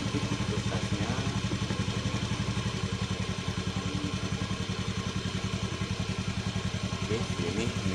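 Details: Fuel-injected motorcycle after adjusting the idle setting screw under the seat, previously rough and limping; battery around 12.4–12.5 V: steady, even idle thump with regular beat, no stumbles or clatter; normal idle.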